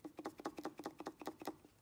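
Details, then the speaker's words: Counterfeit Bosch 044 fuel pump, shaken by hand: quick, light clicking rattles about five times a second from loose internals. "I shake this bump you can hear the internals rattling around probably not a good thing so there you have it this is what a fake Bosch Oh 44 pump looks like"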